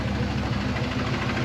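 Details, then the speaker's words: Buggy engine at cold start, MAP sensor off: rough idle with a steady low knock pulsing underneath; owner suspects torque converter, present since purchase and gone once warm; cold-start knock, source unconfirmed. "I'm in torque converter I it's done it as long as I've owned this buggy and once it warms up that sound entirely goes away"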